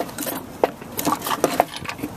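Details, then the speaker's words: 1967 Land Rover Series IIA 109 rear axle, differential failed and driven on. Shaking the housing by hand gives irregular metallic clinks and rattles from broken gear-tooth fragments loose inside. "can almost hear the bits of gear teeth rattling around in there"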